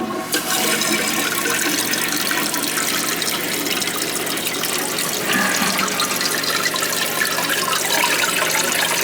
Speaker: Yeah, that's what's happening. It's sticking.